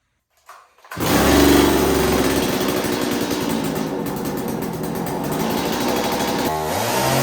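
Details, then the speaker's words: STIHL Wood Boss 024 AV chainsaw that wouldn't start because it was flooded: fires within a second and holds a steady, even buzz with no misses or surging, before carburetor tune check with factory setting one turn on high and low; runs healthy. "all right we're gonna check the tune on the saw it sounds halfway decent"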